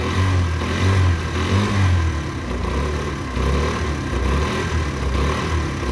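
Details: Derbi 125 single, a former non-runner, after a carb service and fuel tank clean: the thump catches and holds, and revs rise and fall cleanly with the throttle without spitting or dying; it runs healthily.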